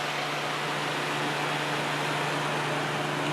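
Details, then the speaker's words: Kenmore dehumidifier, fan only with compressor disconnected, after cleaning: steady, even hum with a low tone and airy rush, no rattles or scraping; spins up better than before. "I have a plug back in and let's see okay well that's definitely spinning up better than it did for previous times"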